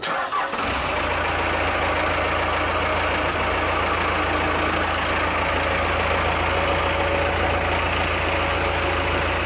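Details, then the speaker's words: Cummins 4BT diesel swapped into a 1982 Ford F150, denit fuel pin, 3200 rpm governor spring, stock timing, power screw one and a half turns past stock; owner suspects camshaft wear from metal found: quick start, even steady idle clatter, no knock, great oil pressure. "sounds just like the day I got it it's got great oil pressure"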